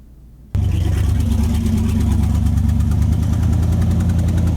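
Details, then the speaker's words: Ford Mustang project engine after dyno run: catches into a lumpy, uneven idle with recurring skip; head gasket blown, O-ring pushed out beside front head bolt, compression escaping, running on seven cylinders. "Yeah, we got 7 cylinders. Engine. Yeah, no head gasket here, baby. Hear the compression coming out?"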